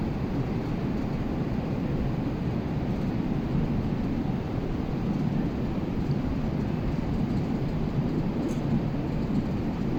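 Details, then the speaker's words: Air conditioner indoor unit, blower motor rated 15.1 A: steady, even roar of rushing air with no knocks or tones. Airflow is suspected to exceed design, pending an air-balancing measurement. "पहले यह हवा का आवाज सुनिए inside का"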